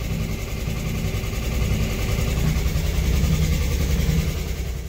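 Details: 1964 Chevrolet Corvair, after cylinder head reinstall with new rings, warming at idle: loud raspy idle with uneven low thump that swells and fades; possibly an exhaust leak, unconfirmed, shortly before it died from running out of fuel.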